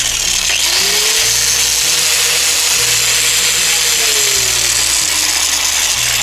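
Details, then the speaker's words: Angle grinder running very loud with a harsh hissing roar and heavy vibration of the whole tool; cause is large play from a worn gearbox bearing. "как вы видите она работает очень шумно и во время работы и и всю трясет очень большая вибрация причина вот в чем здесь имеется очень большой люфт"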